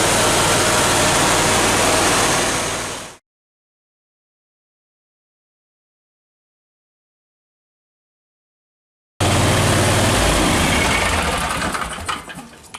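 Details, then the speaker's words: Briggs & Stratton Vanguard 37 hp EFI twin that ran bad with no power, after fault code diagnostics and ignition coil test; even, steady twin-cylinder run with clean consistent beat, no stumbling, fault light stays off; healthy. "you can see that that runs a whole lot better that sounds a lot better doesn't even sound like the same engine running"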